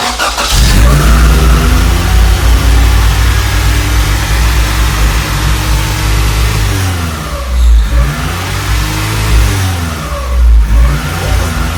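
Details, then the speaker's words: Integra after an injector and timing fix: the idle rises and sags in slow waves over a rattly exhaust; the owner is 99% sure it is an intake manifold problem, unconfirmed. "I'll turn it on for a little bit show you what I'm talking about cuz it now it does that Idol Sur so I'll I'll show you what I'm talking about"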